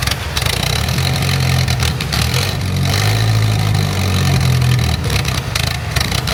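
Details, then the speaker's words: 70k-mile Mitsubishi Conquest turbo after fitting an aftermarket exhaust manifold, running without a downpipe: engine settles into a steady, even idle with a low rumble and no knocks or misses; runs healthy. "Sounds good. Sounds like it's worth all the work. Thankfully."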